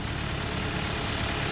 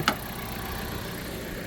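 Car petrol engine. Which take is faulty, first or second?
first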